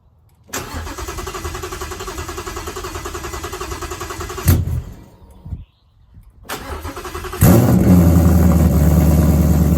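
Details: Coyote V8 swap first start after sorting FRPP control pack issues and exhaust work: cranks briefly, catches and settles into a steady, even, deep idle; normal start and idle.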